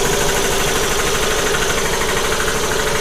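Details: Newly wired Eaton air compressor heard from about 3 feet away: a fairly quiet, steady, even hum with a regular pumping beat of about two per second and no knocks or rattles. Normal running.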